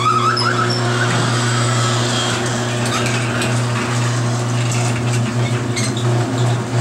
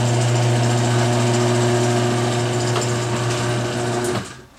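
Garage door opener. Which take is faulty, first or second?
first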